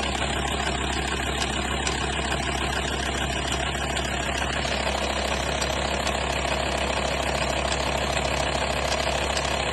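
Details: 2004 VW T5 2.5 AXD diesel at idle: a fast, even metallic rattle, about three per second, over the diesel clatter. The owner describes it as a chain-like noise; cause unconfirmed.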